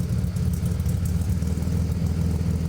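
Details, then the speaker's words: BMW E92 335i with single turbo conversion and new custom 3.5-inch twin-muffler exhaust, after cold start: deep loping idle with uneven stumbling beat; sounds like a cam but it's actually misfiring. "Lumpy again. I hope it stays like that. The cold start's pretty loud. But it sounds good now. It almost sounds like a cam, but it's actually just misfiring."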